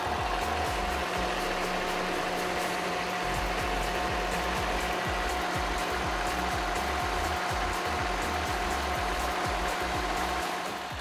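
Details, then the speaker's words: 2004 Cadillac SRX 4.6-liter V8 storing lean codes P0171/P0174, steady even idle while WD-40 is sprayed on vacuum lines and throttle body; no surge or idle change, so no vacuum leak found before cleaning the MAF sensor. "While spraying WD-40 along the vacuum lines and the throttle body, I did not hear any sudden surge in idling or a change in the idling system."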